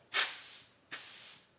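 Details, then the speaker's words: VW Beetle that stuttered and only reached 40 mph: fuel hose blown through with compressed air at 10 bar gives short sharp hiss bursts with no flow, line blocked; debris eventually blown out. "yeah there something blocked in that line isn't there"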